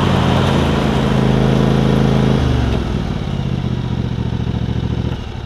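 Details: John Deere LX277 riding mower with a deck swapped from a parts LX178, cutting grass: steady, low, super quiet twin-cylinder drone that eases slightly under load, no knocks or rattles. Normal running.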